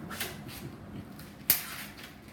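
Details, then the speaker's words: Lighting a newly installed gas water heater, pilot knob held in: the piezo striker gives one sharp snap in a quiet room, firing normally. The pilot lit after a few presses. "And then here's your striker here. And then you're supposed to be able to push that in a couple times. And then hopefully it'll light."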